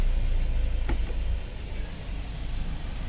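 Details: Hyundai Starex D4CB diesel with low-power complaint, after turbo wastegate and injector replacement with new washers: steady low idle rumble with no shake or stumble, one brief click near the start; vibration gone, smoke fading: normal idle.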